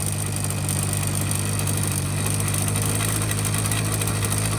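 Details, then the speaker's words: 1985 Honda Spree scooter, carbs cleaned and swapped, fuel lines replaced: at full throttle a flat deep drone that never climbs, the engine bogs with no power; cause proved to be a plugged muffler. "so here we go idols okay as no power full-throttle that will barely starts going"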